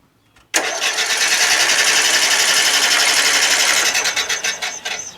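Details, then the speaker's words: Murray Select 40-inch 12.5 HP lawn tractor engine cranks fast and evenly with no slowdown on any stroke; no compression, with air puffing out the side; spark plug gap had been bent closed and no spark seen. "See how fast that is? It's no compression, man."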